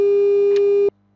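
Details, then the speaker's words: Colpitts FM oscillator (90/100 MHz) with its 400 Hz modulating generator disabled by removing the pentode plate supply: a steady pure whistle near 400 Hz still sounds briefly on the unmodulated carrier, cause unknown. "fíjate qué curioso a pesar de haber quitado el oscilador de baja frecuencia se escucha todavía como un pitido"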